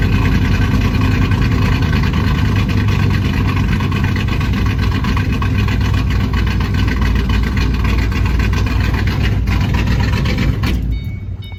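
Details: 2008 Ford Mustang GT V8 after new fuel injectors; deep, uneven chugging idle with lumpy beat and dropped pulses, still misfiring. Later traced to a vacuum leak from a cracked cold air intake at the PCV tube.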